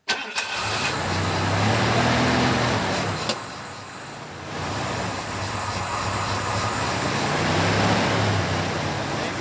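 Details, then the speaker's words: 1991 Ford Bronco that sat about 2 years with old fuel: the engine catches, then runs unevenly, sagging and surging until it starves and dies. Fuel pressure reads only about 10 psi against the 30 needed, a sign of a failing fuel pump, which is replaced. "And it gets starves and dies. So that is a sign of a bad fuel pump."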